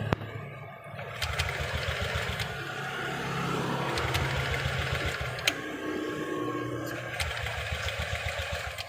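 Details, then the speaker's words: Honda Beat LED deluxe scooter with the engine dead, check engine light on and code 7, speedometer and fuel pump working normally: starter spins in a steady rhythmic churn but it never catches and runs. "Tapi ini motornya tidak bisa hidup, Mas Bro. Coba kita nyalakan."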